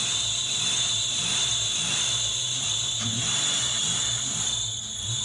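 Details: 1992 Ford Mustang GT Foxbody 5.0 V8, first cold start after sitting on old fuel; constant shrill squeal high above a quiet idle, belt gliding over a pump pulley that won't turn, owner thinks it may just be flattening the belt.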